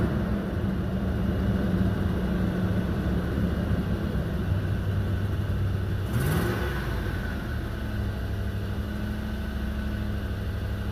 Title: Stock 2005 4runner with a 4.7 and nasty exhaust leak. #4runner